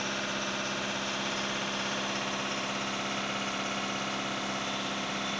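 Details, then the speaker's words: Skoda Rapid diesel after injector replacement: steady fast clatter held at an even raised idle with no misses as the injector adaptation process starts and the engine revs by itself; normal. "यह process अभी start हो गया तो अ मैं अपने आप गाड़ी race होने लगती है"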